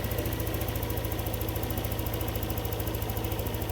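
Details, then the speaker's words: Yamaha NMAX 155 V2 after error codes cleared and reprogramming: steady, even scooter idle around 1615 rpm with a smooth regular beat, no misses or hunting; normal idle. "1615 yung normal ito yung normal sir."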